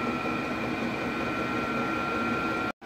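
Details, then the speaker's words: Diesel heater heating a shed, cranked to high power after ignition, battery stable at 11.4–11.5V and low diesel use: steady even fan rush with two constant high whistling tones, no surging or popping; burning smoothly and running normally. "yes seems to be running very very nicely and it's not consuming a lot of diesel either"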